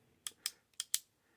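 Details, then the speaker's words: Shimano 3-speed index shifter after T-9 Boeshield lube was poured down the shift cable hole; clicking through gears gives four sharp, crisp, clean clicks about a fifth of a second apart, indexing restored. "You can hear those clicks. They are sharp. They are crisp. They are back."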